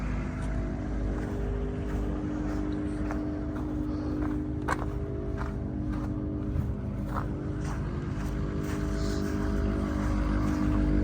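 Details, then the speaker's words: Retired 2013 Ford F450 6.7 diesel ambulance, engine and transmission replaced with new OEM parts now at 120,000 miles: steady low idle, even unbroken drone, no knocks or misses; healthy-running engine. "Sounds good."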